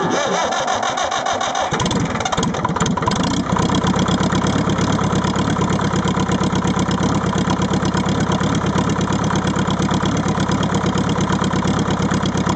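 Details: Leyland 154 tractor diesel engine at cold start, uneven lumpy idle with recurring stumble like one cylinder not firing; misfire when cold, cause unconfirmed.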